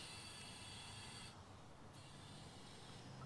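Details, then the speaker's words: Audi TT intake pressurised with a DIY boost leak tester, microphone walked around the car: faint steady high-pitched hiss of escaping air, owner suspects a leak near the brake servo; boost leak at a split three-way pipe. "right i can hear air now i have a hunch as to what it might be because this is the first time i'm doing it so i don't actually know"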